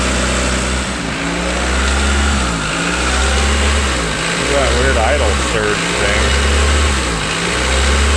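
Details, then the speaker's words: 1992 Honda Accord after timing belt and water pump replacement: idle surges and sags roughly every second and a half; behaviour changes when unplugged, owner suspects dirty idle air control valve. "starts doing funny so maybe it is that stupid thing"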